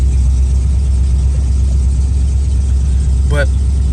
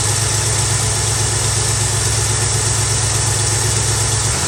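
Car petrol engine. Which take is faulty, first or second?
first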